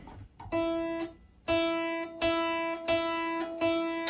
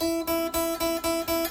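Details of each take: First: Kit guitar with locking nut, string plucked open: faint bright sizzle localized at the leading edge of the nut slot; pressing there stops it; nut angle and fit are good; buzz at the nut. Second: Kit guitar with a locking nut, after the back edge of the string slot was filed a second time to cure nut buzz: open high string plucked about four times a second rings clear like a bell, no buzz.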